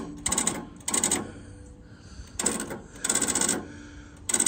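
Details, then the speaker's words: Case VAI engine, battery that previously failed to start another tractor: short sharp solenoid buzzing about once a second with no cranking; solenoid chattering from a dead battery. "the old school trick in my head was like Kyle the solenoids buzzing is probably a dead battery"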